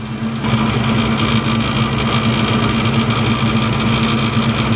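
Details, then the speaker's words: Supercharged car running with belt on: constant droning hum with rough metallic undertone echoing off the bracket; shavings at the alternator pulley, which appears to be slipping on its shaft, possibly a loose nut. "I could definitely feel it in here and I can hear it kinda echoing off his bracket"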